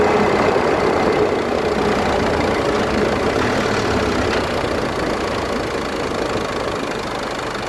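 Constant rough grinding under steady road noise, not rising or falling much while driving; grinding from the front differential area.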